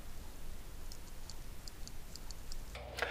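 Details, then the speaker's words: 1995 Porsche 993 Cabriolet right-side convertible-top latch motor, bench-run after replacing the broken drive gear: light regular ticking as it turns, then a sharp click at end of travel as the limit switch cuts in, normal. "and then all the way at the other end you can hear the switch click that should turn it off before it gets all the way to the end so this is it here we can hear the click"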